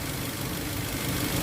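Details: Toyota Avanza 1.5 G that had a crank-no-start fault with codes P1604 startability malfunction and U0167: steady, even petrol idle with a smooth low hum and no knocks or misses; normal idle.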